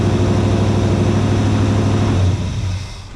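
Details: 1956 Chevy Bel Air carbureted V8, restarted with the key after a short rest; catches at once and runs strong and even, then eases off smoothly; clean, healthy warm start.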